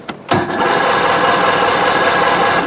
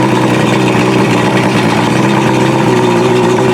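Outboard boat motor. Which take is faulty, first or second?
first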